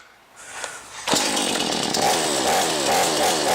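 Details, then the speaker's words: Brand-new XtremepowerUS 45cc two-stroke chainsaw, cold first start on choke after 3–6 pulls, then choke pushed back: it catches and settles into a high buzzing run; normal cold start, white smoke expected while new. "You heard the sound? It's going to start. So you put the choke back."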